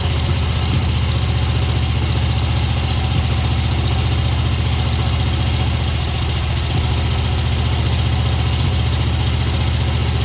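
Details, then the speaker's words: Stander mower twin engine with 3000 hours, running only on cylinder two: heavy, lopsided thumping at about four beats a second. Cylinder one is dead (bent pushrod, stuck exhaust valve, exhaust valve guide pushed down). A missing carb welch plug causes idle surge. Dead cylinder misfire. "but it is actually running but it's running on the number two cylinder over here"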